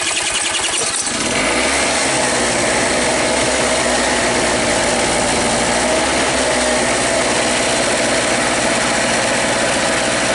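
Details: Red Harbor Freight Storm Cat small generator with Champion N9YC plug, started via drill on the flywheel bolt: fires after about a second and settles into a steady, even buzz with no misses or knocks; running healthy.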